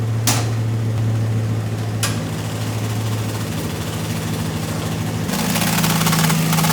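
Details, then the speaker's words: Nissan 240SX with freshly built engine, warming up at idle: light quick ticking as the cooling fan strikes its shroud, because pushing the temporary intake, which hits the closed hood, made the fan hit the shroud. "pushed the intake and now the fan is hitting that shroud."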